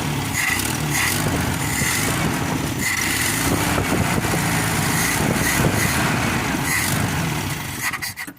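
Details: Toyota Kijang (Tamaraw FX) classic: repeated cranking with a rough, scraping churn that never settles into running; hard starting from a dirty, frozen, sticking carburetor.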